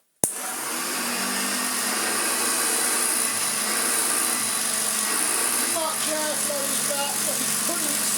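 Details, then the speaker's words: Hoover Junior 1334A vacuum cleaner motor after a full rebuild that cured an awful-sounding motor, with new brush strips and a replaced fan: clean, steady high whine with no rattle or bearing growl. "can you remember how bad it sounded before well hopefully it sounds a lot better now"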